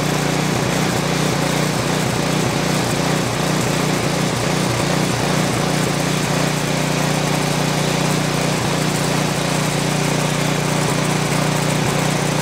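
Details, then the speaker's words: Craftsman 536.881651 snow blower, Briggs & Stratton 12A113 type 0350-E1 built 2005, heavily primed and on choke: fast, steady beat with occasional stutters in the firing. Rough running. "Okay, so at this point, it does run. It's not a real happy run, but it does run very well for what it came"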